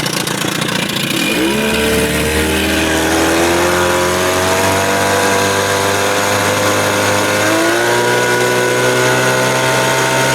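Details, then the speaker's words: Evinrude 30 hp outboard on its first run after an under-flywheel CDI conversion, run almost but not quite at wide open throttle to clear cobwebs. Winds up and holds a clean, steady high buzz with no misfire: sounds pretty good, normal. "oh yeah baby yeah I think she sounds pretty good good said to get little cobwebs out that's not wide open throttle almost yeah she sounds good"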